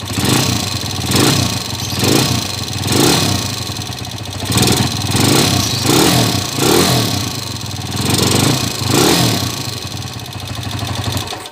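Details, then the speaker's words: TMX 155 motorcycle with 7.2 racing cam, 62 mm block, hard starting: repeated rev blips with fast metallic valve train ticking over the engine, caused by the racing cam. "Okay sa naka cam pala kaya malagitik yan 7.2 naka 7.2 cam"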